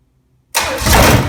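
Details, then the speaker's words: Very low-mileage 1968 Buick 430 V8 from a '68 Riviera, first run in decades, after a bad ground at the distributor points was fixed; the carburetor has not been rebuilt. Clean start into a steady, even idle, firing on all 8. "I've never had this carburetor apart, so I don't know what the carburetor is trying to do, but it sounds like it's hitting on all 8 for sure."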